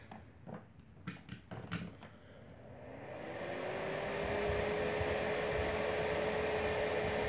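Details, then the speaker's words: Homemade box fan built from a heater with elements, thermostat and knob removed, plugged in for a test run: click at switch-on, then a steady airy rush with a faint even hum, clean white noise, minimal vibration; runs normally. "soothing always it's a very clean white noise it's a good white noise"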